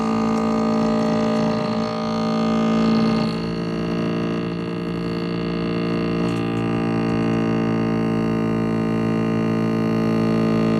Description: My GE twin cool refrigerator periodically makes a loud grinding noise.